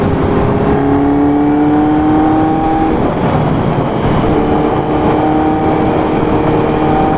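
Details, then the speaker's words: Honda CB750 brat-style accelerating on first ride after carb tuning, recorded riding aboard: clean, even pull as revs climb through each gear, crisp shifts, no stumbling or popping; carbs well balanced. "Je vais vous embarquer avec moi sur la moto pour vous filmer sans que je parle. Comme ça, vous allez entendre le bruit de la moto en roulant."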